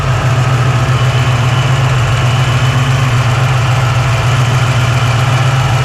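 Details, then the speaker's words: 1987 Saleen Mustang 347 V8 with new balancer and a much smaller cam than the previous motor: steady, even idle with a deep, smooth hum and no knock or shake. All header tubes run about the same temperature; running smooth. "Seems to be running good. Nice and smooth. You can tell this cam's a lot smaller than the cam in the other motor. This thing runs really good."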